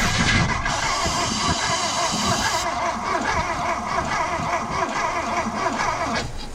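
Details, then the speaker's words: 1973 Porsche 914 sat 3 years, has spark, little or no fuel: starter drags engine sluggishly, uneven about one beat per second, no catch; slow cranking, jump cables considered. "It is turning slow, and that's one of the issues."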